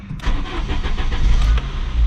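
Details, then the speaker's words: 1991 Saab 9000 2.3 litre turbo 16-valve, cold start before warm-up and test drive after intermittent engine faults: brief even cranking, then catches and settles into a firm steady run with no stumble; normal start. "Okay, so everything seemed fine, which means that we can go about our test drive"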